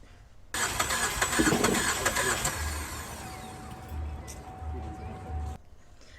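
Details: 2017 Chevrolet Traverse with a recurring cylinder two misfire, right after new spark plugs were fitted with the original coils: the starter cranks steadily for about five seconds but the engine never fires; owner suspects an electrical issue, unconfirmed.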